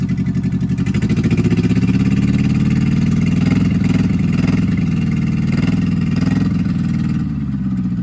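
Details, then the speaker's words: 1964 MG Midget Mk II after 30 years sitting outdoors: uneven, lumpy idle around three beats a second that surges and sags like a misfire; rough running blamed on carbs with stuck plungers. "she's running pretty rough uh and that's definitely going to be a a a product of the carbs"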